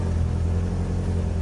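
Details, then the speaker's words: Tata CNG engine in limp mode: low, flat rumble that won't rev above about 1,200 rpm, codes P2103 and 2111 (throttle). Faulty A36B ECU, likely shorted via the radiator fan coil; replacing the ECU fixed it. "รอบขึ้นอยู่แค่1,200รอบปอยเฮียครับครับประมาณนี้นะตัวนี้ขึ้นมาแล้วt2103นะ"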